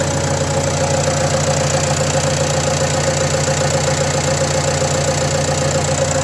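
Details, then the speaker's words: Renault Trafic 2 phase 2, 2.0 dCi M9R 780 diesel, first cold start after replacing a failed PCV valve (fault: lack of power, high fuel use): even, steady diesel clatter at cold idle with a regular beat, no misses or knocks. "On va faire un premier démarrage à froid avec le changement de la valve PCV. On y va. Démarrage à froid."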